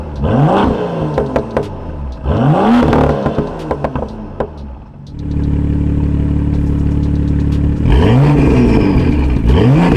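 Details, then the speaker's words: BMW M2 with M Performance exhaust, valves opened by remote in sport mode, after exhaust issues were fixed: several quick revs climb and fall smoothly, deep and clean with no rattle or buzz from the muffler. "all right there you guys have it's on super sick no rattling just nice and deep and pure can't complain"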